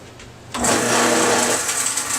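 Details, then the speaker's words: Garbage disposal, after reset button and Allen-wrench unjamming, switched on: harsh, rough, steady buzzing grind; suspected debris lodged inside, not confirmed. "We flipped the switch, but there's a horrible noise. Obviously, let's hear it again. So what that means is there's something inside of it."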